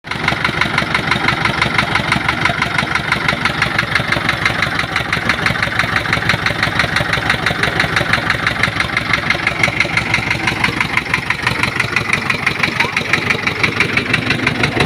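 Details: Massey Ferguson 460 Xtra tractor with Perkins 1104 diesel idling: a hard, regular knock about twice a second rides over the diesel clatter; tractor also overheating, cause suspected but not confirmed.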